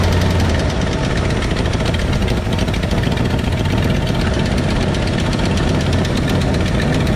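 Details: 1968 Ford F100 V8 idling with the valve cover off during valve adjustment: a loud, busy clatter of fast ticking over a low rumble as rockers are loosened until they clack; valve train ticking.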